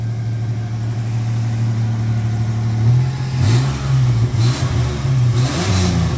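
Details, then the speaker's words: 1989 V6 Pajero after a cracked, warped stock exhaust manifold was replaced with Australian-made stainless steel extractors: a smooth idle, then quick revs that rise and fall cleanly with no ticking or puffing, quieter and sounding healthy. "yeah dude it sounds way better [Music] way better it's quieter awesome job well done fantastic"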